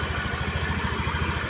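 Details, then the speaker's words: Honda Spacy scooter that ran very rough, now started with the fan removed: steady, even, smooth idle with no rattle, showing the rough noise came from the fan. "nah ini motor sudah hidup Ya coba kan sudah halus sudah enak didengarlahak aklakak kayak tadi Ya memang permasalahannya ada di sini"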